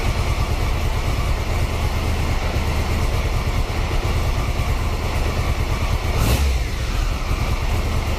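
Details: 1993 Triumph Trophy 900cc triple after upgraded sprag clutch replacement, fresh oil and filters: steady even idle beat, no clunking or knocking from the starter side; healthy.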